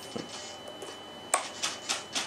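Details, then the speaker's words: RC aircraft with DX8 transmitter and EzUHF receiver: quick buzzing servo twitches in short bursts, chatter from signal drop with receiver antennas touching; the pulsing also made the motor surge and not reach full power. "we go that pulsing and then that would translate into engine pulsing okay this is exactly the problem now that pulsing was the it was basically signal drop"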